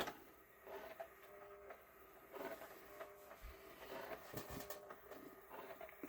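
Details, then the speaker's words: JVC 5-disc CD changer, long unused, after gently cleaning the laser eye with a Q-tip: faint uneven scraping and whirring with irregular clacks as the disc spins, still dragging on something; cause not confirmed. "It's still dragging on something while it's spinning around, by the way, and making a horrible noise."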